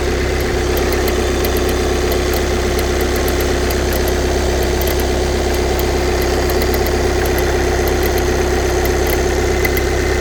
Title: VW CC 2014 2.0TDI CR (140bhp) clicking noise on cold start